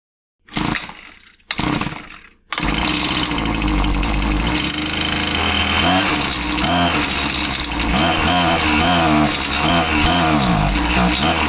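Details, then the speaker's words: Husqvarna 525PT5S pole saw, after carb refresh and clean cylinder: small two-stroke starts, runs rough and sags instead of climbing when throttled; massive bog, won't rev. Carb inspection planned, cause not confirmed. "So, it has a massive bog and won't rev up."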